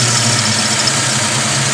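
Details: 327 small-block Chevy V8 at idle: faint, fast, high chirp over engine from rear of passenger-side valve train; cause unknown.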